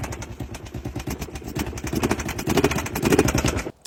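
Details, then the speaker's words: Kawasaki V-twin bought off Marketplace, running on carb cleaner, choke on: loose uneven clatter over rough running, heavy knocking rising with each throttle blip; internal engine knock, crank failure suspected, needs rebuild. "That thing was knocking so bad."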